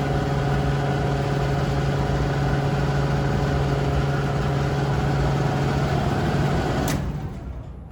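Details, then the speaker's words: Sears gas furnace, about 50 years old, whose blower used to run quietly, roars with a loud, steady hum and buzz, then cuts off and winds down; noisy failing blower motor before replacement. "it's been a great furnace but now it's making really loud noise so when I turn it on you'll hear what the motor sounds like"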